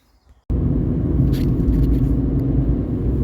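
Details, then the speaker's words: Fiat 500 on a test drive after fixing a random and cylinder 4 misfire (signs of water in the air intake): the engine catches, then settles into a smooth, steady hum with no stumbles and no warning lights; normal running. "so I'm taking it out for a spin and it seems to be running really quite nicely. That seems to have made all the difference."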